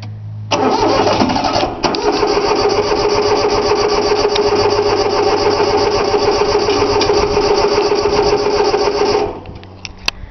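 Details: 3-cylinder Yanmar diesel on a cold start after glow plugs, about eight seconds of steady, even cranking that never catches; owner forgot to bleed the fuel lines, it usually starts right up.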